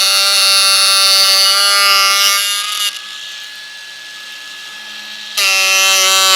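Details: Ryobi USB Lithium cordless power carver (1mm stroke, 14,000 SPM) with square chisel, carving a board; steady high buzzing whine drops under cut and recovers when clear, running properly; road-widening work noise in background.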